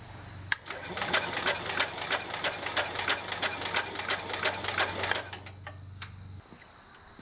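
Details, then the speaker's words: John Deere 110 garden tractor, starter generator just reinstalled, solenoid connection needing fixing: slow, labouring, uneven cranking about three turns per second for five seconds, no start; battery too weak, later replaced so it cranks properly. "okay I changed the battery so the engine will crank properly"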